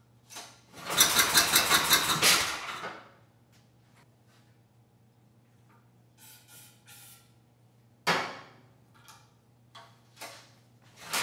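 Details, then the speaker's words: Tecumseh HMSK105 generator engine with low compression, carburetor not yet cleaned: fires briefly with an even chug and dies, then sharp pops, from the exhaust on this engine; backfire, possibly a valve issue, not confirmed. "whoa this one backfires like the other one all right so the engine sounds good and it's kind of running well"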